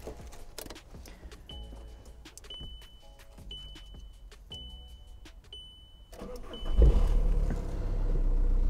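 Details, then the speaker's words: VW Touran at 188,000 km, a used car from Germany. Dash chime ticks, then the engine cranks briefly, starts on the first key turn and settles into a steady low idle; a healthy start. "Deci în orice caz motorul eu zic că sună foarte bine."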